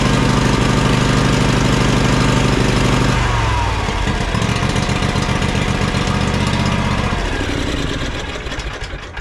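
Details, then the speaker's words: John Deere X300 riding mower, ethanol-free fuel, both cylinders firing: loud at full throttle, then beat turns lumpy and uneven after a few seconds, rich stumbling; choke sticking instead of springing back. "to a trained ear I can tell instantly when I fired this up this last time when I just went to pull it in that the choke is sticking right that's that's what I'm hearing that's what I'm smelling"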